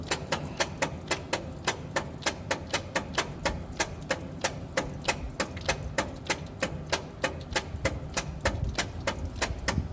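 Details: Old truck engine, cranked with choke set and gasoline poured in: sharp regular clicks about 98 a minute, no combustion catching. Cause found to be the bad original/old ignition coil; a borrowed coil restored spark. Crank, no start.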